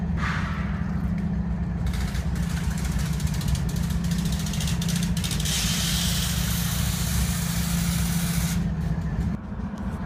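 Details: BNSF diesel locomotive stranded in Boulder, Colorado: loud, heavy idle with slightly uneven low beat and steady air hiss; misfiring, owner suspects a blown air compressor, unconfirmed.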